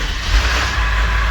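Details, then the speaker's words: Ford 7.3L Powerstroke diesel 1-ton dump truck, sat only 5-6 minutes: steady low starter churn with rushing hiss, cranking long without catching; owner says it should not take that long, cause unknown. "It should not take that long. It's only been sitting for like 5-6 minutes."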